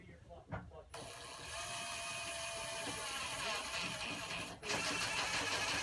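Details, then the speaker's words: Stealth Force Gen5x impact driver at speed 1 driving 2-inch screws with a T25 Torx bit: fast, even rattle of impacts, then a brief pause and another run; it impacts slower but harder than traditional impact drivers. Normal operation. "So now, so you can really hear the way it impacts. It's a lot different than your traditional impacts, and it actually impacts slower but harder, if that makes any sense."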